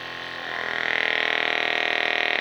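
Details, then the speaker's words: Homemade desoldering unit's small vacuum pump, powered by a Farnell LT-30-2 bench supply and switched by a foot pedal, buzzes steadily, then its note rises and tightens when the tip is sealed on silicone mat; pump running healthy. "As you press, the little vacuum pump comes into life. You do a quick seal test on this piece of silicon mat, and you'll be able to hear the little compressor change tone."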